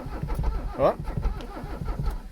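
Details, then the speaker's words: Abandoned Mercedes 300CD diesel cranked on ether: slow uneven cranking with only the odd weak firing pulse; catching on just one cylinder, not running. "got 1 cylinder. I think the accelerator's stuck, so we're gonna not use the accelerator."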